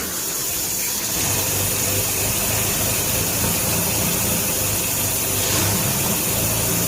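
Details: 1957 Nash Metropolitan barn find that sat for many years, running on old gas after swapped plug wires 3 and 4 were corrected, warming up: a steady, fairly even idle under heavy hiss. Normal idle.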